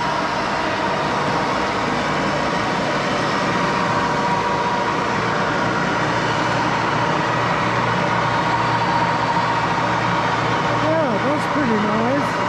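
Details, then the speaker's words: 1941 Axelson 24-speed lathe, idle up to five years, headstock oil circulating, high range around 800 rpm (top 1127): steady even hum with faint high whine, no knocks or grinding; headstock healthy at high speed. "okay that's high speed build i don't think it's the fastest but it's getting close to a thousand the fastest is um 1127."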